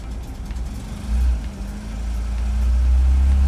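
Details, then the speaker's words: Opel Manta petrol engine, first start after engine refit, warming up, runs with a deep steady rumble swelling as revs rise; sounds really nice, slight exhaust leak, earlier dying at 2,000 rpm suspected fuel starvation. "awesome quite like this sounded really nice once it's on"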